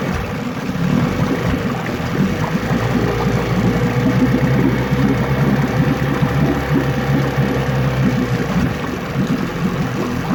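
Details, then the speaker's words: 9.9 HP Johnson outboard being revisited after an earlier failure, refitted with a new water pump and carb kit, running in a test tank. An even low burble near 800 rpm, steady with no misses, water churning behind it. Normal idle, slightly below the 900–1,000 rpm the owner expects. "It sounds like we're less than 1,000 RPM there. 800 or so, I guess."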